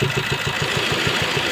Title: S cross 1.3 diesel engine noise due to rocker arm broken